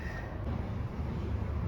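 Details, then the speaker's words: Panasonic (Sanyo) Eco-i outdoor unit that showed E04 error, just after replacing both blown slow-blow time-delay fuses: low even compressor and fan hum, no rattles, running normally. "all right it's up and running now you can probably hear it"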